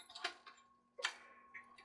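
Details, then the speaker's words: Department 56 Haunted Coal Car, 6-volt rated motor: faint sparse ticks over a quiet hum with no gear whir; motor clicking, mechanism not turning, presumed broken, possibly a missing bushing. "I'm assuming this one's broken I can hear it clicking and nothing's moving"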